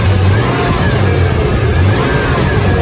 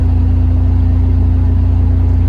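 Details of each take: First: 1999 Toyota 4Runner after a timing belt job, engine revved: faint high whine above the engine from a remanufactured Denso alternator bad out of the box; low output, wiring voltage drop tested fine, timing belt first suspected. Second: 1999 Toyota 4Runner, idling with a replacement alternator, lights and defroster on and holding 14 volts: a smooth, low hum with no whine. The whining noise is completely gone and the alternator stays cool after five minutes. Normal charging.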